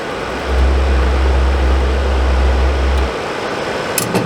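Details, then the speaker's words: Suburban RV furnace (SF30FQ), on test after control board replacement: low burner roar lights, runs about 2-3 seconds, then cuts out; possibly air in line or something jiggled loose, cause unconfirmed. "Fires up, runs for maybe 2-3 seconds, and then shuts off."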